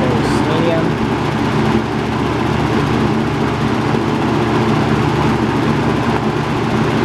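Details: Robeson box fan model 2306, three-speed, 2.4 A motor with surface rust on motor bars, running on high: steady even whoosh of air, good airflow, constant low motor hum, no ticking or rubbing; normal running.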